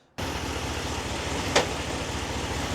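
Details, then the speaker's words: 2021 Ram 1500 Limited, 8-speed ZF automatic, 3.92 gear ratio: idle broken by one sharp clunk and jolt as the transmission slams into drive; transmission adaptation reset and relearn with AlfaOBD proposed as fix. "So when you shift into drive, the whole vehicle will clunk and jolt and move forward."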